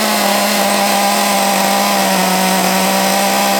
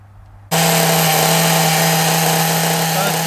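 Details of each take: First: Small nitro RC engine, possibly not yet run in, freshly restarted with 3-in-1 oil and glow plug refitted, run off a stand because the flywheel hit it; sharp buzz holds at high revs but sags and stumbles, won't settle to steady low idle; rough low-rpm running, cause unknown. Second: Small nitro RC engine, carburettor suspected as the earlier problem and a known-good carb to be tried later; shrill buzz fires up and holds a steady pitch with slight wobble, tick-over a bit high; normal running, sounds really good.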